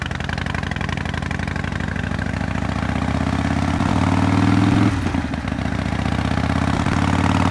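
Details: 2005 Harley-Davidson CVO Fat Boy after replacing a stripped clutch hub, the clutch and the bearing, around a test ride around the block; loping, even V-twin idle with no slipping or clutch rattle. Working better than before the repair.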